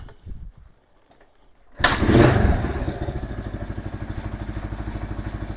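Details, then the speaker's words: Kawasaki KL 250 single just after top-end rebuild, rings not yet seated: fires into an even thump about three per second, steady and healthy; extra compression, starts easily, no oil leaks. "I think with the extra compression, it's going to be a lot better. The engine sounds good."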